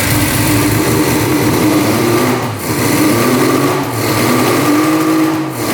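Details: 1974 Suzuki GT750 two-stroke 750cc triple, sat 30 years in a barn, first start with a new fuel filter, on prime and choke; busy high-pitched two-stroke buzz settling into a fairly steady run with brief dips: normal running.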